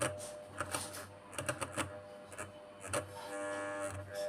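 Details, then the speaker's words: Stand (pedestal) fan motor powered on: irregular dry clicking rattle when the blade is touched, over a steady low hum from the coil; worn shaft and bush, with a coil fault too. "लेकिन मैं जो भी इसे छूता है घुमाने के लिए कोशिश कर रहा हूँ, इससे खड़खड़ाहट की आवाज आती है। होना और कुंडली में भी भनभनाहट हो रही है हो रहा है।"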